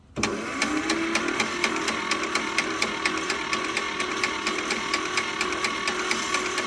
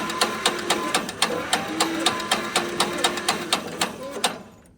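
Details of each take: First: John Deere Model 50 tractor, roughly 1955-56, sat about 15 years; starter spins freely with steady ticking about two beats a second, no binding, turns over good with good compression. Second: Squeak from dry internals while slowly turning the engine of a tractor abandoned for 15 years by hand, about two clicks a second each with a short squeak; not sticking, owner suspects it is all just dry.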